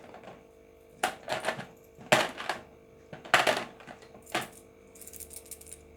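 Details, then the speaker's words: Refrigerator PTC starter relay shaken by hand: four or five uneven bursts of loose rattling; ceramic inside cracked, and a good PTC should not rattle, so don't use it. "Ini PTC jelas kalau yang bunyi ini pecah di dalamnya."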